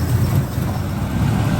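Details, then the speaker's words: 1984 Camaro Z28 V8 idling cold just after start, thermostat not yet open: lumpy, uneven low idle with irregular dips; misfire, not firing on all 8 cylinders. Owner intends to adjust timing. "Definitely sounds like she's not running on all 8 right now. Oh yeah. Definitely not running on all 8 today."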